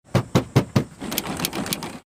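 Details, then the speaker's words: BMW X5 (previous generation) tailgate, worse in summer: four sharp plastic creaks, then a dry crackling rub, as the switch and the trim panel below it rub together (wear marks visible); taping the trim removed most of the noise. "这开关和这个下面这个饰板摩擦了都有痕迹了。我们现在把整个的这个饰板拆掉，然后从这个饰板上垫上一层胶带。这个声音就是这两个塑料之间摩擦所产生的。"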